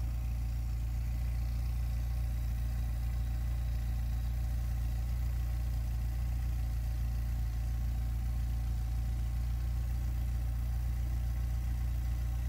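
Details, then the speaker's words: VW Golf 3 idling after fitting a new rear silencer to replace the broken one: deep, even idle burble with no puffing or ticking at the joints; sealing checked by hand and perfect, engine runs smoothly. "Bon, en tout cas, l'étanchéité est nickel. quand même mettre la main pour voir."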